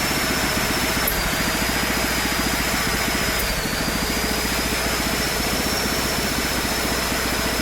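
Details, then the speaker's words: Small single-cylinder engine on a Mikuni carburetor and a temporary 3D-printed PETG intake manifold: steady, quick popping beat of about three to four firings a second, even and unstressed; runs fine, with a slight low-end velocity issue. "I'm pretty happy with how that runs it's got a little bit of a low velocity issue at the bottom end but that's typical of a large carburetor on an engine like this"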